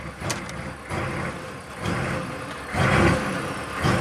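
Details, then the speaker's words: 1995 Chevy K3500 6.5 turbo diesel, hard to start, revving without throttle despite new accelerator pedal and pump driver module: on startup idle surges unevenly around 2,000 rpm versus desired 844, rising and falling without throttle. "So it's trying, but something's really wrong. So when you first start it up, it's at 2,000 RPM."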